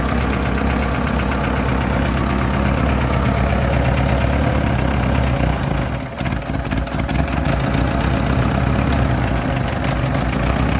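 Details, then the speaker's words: Chevy S10 pickup, sat for years, air cleaner off: rough, uneven idle with a steady hiss and light clatter; dry-rotted, mouse-chewed vacuum lines are leaking, and it ran better when sprayed with starting fluid. "all right well i got the air cleaner off and i heard you could hear the lines leaking and it ran better once i gave it a shot of uh fluid here"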